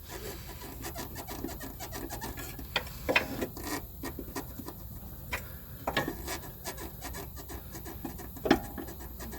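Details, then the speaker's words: 2019 Toyota Corolla 1.8 L (11th gen), lower control arm levered with a pry bar; short rubbery creaks and rasping squeaks from dry-rotted, unlubricated bushings. Left front squeaks more than right; these bushings commonly squeak over bumps. "they all seem to have a common problem with the control arm bushings squeaking and they they squeak when going over bumps"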